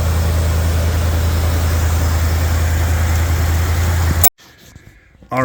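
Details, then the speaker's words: First start of a classic truck's V8 under its own power after repairs, late on a cold night. It has a deep, steady, even idle with no misses or knocks and sounds really good. Later warmed to operating temp; the temp gauge isn't working. "as y'all can see it ran it idled it sounded really really good"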